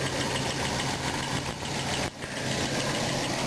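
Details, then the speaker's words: RV engine just after distributor replacement, ignition timing still off: idles unevenly and sags, nearly dying before catching again; rough idle from incorrect ignition timing. "got it started it sounds like it's about ready to conk out again"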